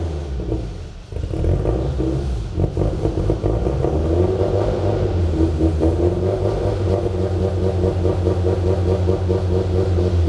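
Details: Toyota MR2 turbo engine first idle with exhaust, untuned: loud, lumpy, uneven idle, unsteady and hunting, from a vacuum leak.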